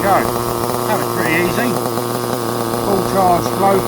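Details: Restored Tamiya TR15 nitro stadium truck, first start in about 20 years with a fully charged glow plug: small engine holds a steady high buzz with brief pitch swings on throttle, running evenly and cleanly.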